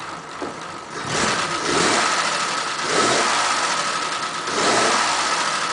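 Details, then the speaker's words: 1941 Ford pickup, carburettor previously flooding, engine still warm after about half an hour, several restarts: fires almost at once each time and settles into smooth idle; normal hot start (owner notes one restart took a second attempt). "but the engine is still warm put about half an hour but what I hope I couldn't show you is that if everything is set up nicely it should start virtually on the first turn"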